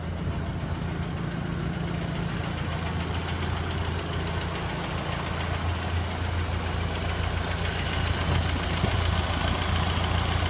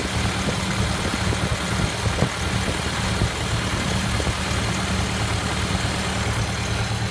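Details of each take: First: 1928 Ford Model A Tudor sedan idling after new Aries muffler installed: steady, even low putter with smooth regular beat, no ticking or hissing; no exhaust leaks, sounds much better. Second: 1928 Ford Model A Tudor sedan with old reproduction muffler, not fully warm, some throttle then idle: low, lumpy, slightly rough rumble with faint puffing ticks at each firing.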